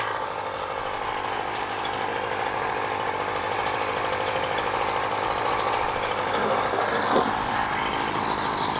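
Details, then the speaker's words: Aging Flymo Maxi Trim two-stroke strimmer with a faulty choke system, running off choke at part-to-full throttle: thin, raspy buzz that barely climbs when the throttle opens, not reaching the red, sluggish; won't rev because the carburettor jets are clogged. "it's not hitting the red but it's running really sluggish"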